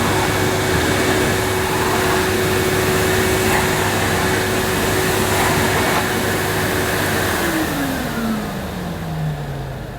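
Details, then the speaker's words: 1998 Hoover Alpina Filtra 1500 vacuum with electronic speed control, at full power with an empty dust bag: a steady high motor whine over rushing air, and the pitch sinks at switch-off. The motor is healthy and running normally. "that's the Hoover Alpena C filtra 1500 not too bad a vacuum cleaner even on full power this very nice nozzle was easy to push so it's not a bad machine"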